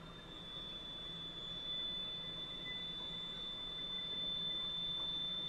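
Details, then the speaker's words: Valve grinding machine taking a little off a valve stem tip, with lubricant flowing onto it: steady high-pitched wheel whine over light hiss; normal, even grinding. "it's going to grind the back of that valve off it's pretty straight forward you also see some lubricant coming out right there to protect it"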